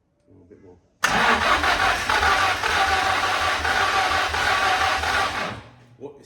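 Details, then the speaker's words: Car not started for 20 years, possibly cold with throttle not opening: starter churns steadily about four seconds with a few weak catches but never runs; cranks but won't start, cause unconfirmed. "few little budges but it's trying to fire"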